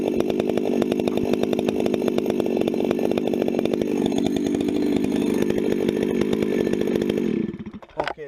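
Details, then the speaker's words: 266 chainsaw, not run for a while and warmed up first, bucking firewood: even, strong two-stroke drone held steady through the cut, then backs off to idle; "eating wood," healthy and pulling well under load. "266 is eating wood I'm going to get set up better here"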